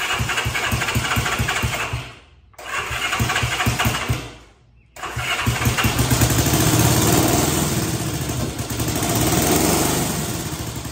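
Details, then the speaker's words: 1965 Honda CB77 Super Hawk after restoration, started on choke after swapping spark plugs around: catches, cuts out twice, then lumpy hunting idle; carburetors not yet adjusted; rough running and stalling. "As soon as I did that, there were clear signs of life. Like, you could hear it. It was trying, it was there. So, progress, I guess. It's doing something, guys."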